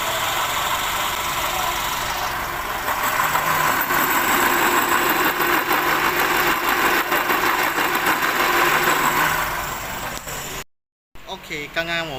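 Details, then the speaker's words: Perodua Bezza at idle: rough, gravelly whirr at constant pitch over the engine, traced to the water pump bearing; the water pump was then replaced to cure it. "刚我们已经检查到那个是 water pump 的那个声音了，所以现在我们就开始更换这个 water pump。"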